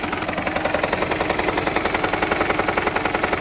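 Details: Toyota Prius 20 (second generation), which uses oil and fuel: engine catches and settles into a quick even ticking knock around 160 a minute over the idle; light engine knock, cause unclear.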